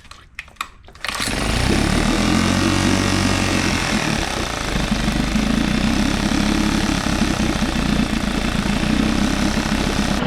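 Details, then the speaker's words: 1999 Nissan 5 hp four-stroke outboard, neglected, air mixture screw just turned: catches after a few cranks, then buzzy idle sags and climbs instead of holding steady, RPM coming up and down; pilot jet suspected; hunting idle. "probably like inconsistent he the RPM coming up and down"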